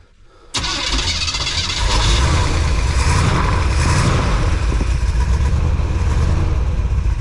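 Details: Van cranked after fitting a brand-new carburetor and redoing the whole ignition system, with a little gas poured into the carb and a doubtful battery: the starter grinds over evenly at about four compression pulses a second with no firing. Cranks but won't start.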